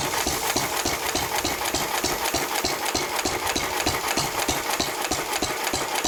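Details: 1923 3.5 hp Emu (rebadged Hercules) stationary engine, restored early 1980s, first start in 20+ years, after oiling a sticking magneto/exhaust valve linkage: sharp steady firing pops about three a second with even gaps; normal hit-and-miss running.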